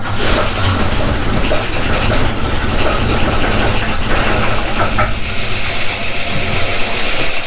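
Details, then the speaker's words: 1979 Holden HZ one-tonner ute, sitting for years, started after the points gap was reset: a low, even six-cylinder idle rumble with a steady beat, no misses and even compression; normal idle. "he works he runs doesn't sound too bad"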